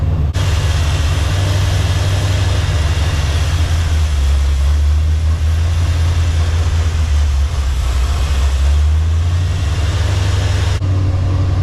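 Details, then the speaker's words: 1984 Chevy Silverado after a 305-to-350 swap: loud, steady deep rumble that won't idle down, idling too high with way too much advance. Intake gasket leak suspected, not confirmed. High idle. "It cannot get it to idle down. It is idling too high."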